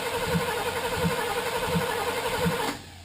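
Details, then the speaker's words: 1978 Chevrolet Camaro LT, 350 engine with 350 transmission, after sitting a long time: slow even cranking, heavy thump about every 0.7 seconds, never fires; no spark suspected; crank no start. "Sounds like no spark. Yeah, sounds that way, eh?"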